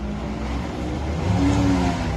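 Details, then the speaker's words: Infiniti M35 that broke down, engine revving: a rough rumble with a mid-pitched whine that rises with the revs, sounding bad. Power steering was ruled out; a failing alternator is suspected. "That doesn't sound good, Nick. Power steering. No, it's not the power steering."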